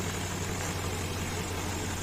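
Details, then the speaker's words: Infiniti QX56, warmed up, after replacing the accessory belt tensioner: smooth steady idle with no metallic knock; light rustle from gas (LPG) injectors. Worn tensioner caused metallic knock under A/C belt load and intermittent cooling. "Ну всё звуков нету а он такой металлический страшный звук был конечно сразу работают газовые форсунки поэтому шелестит"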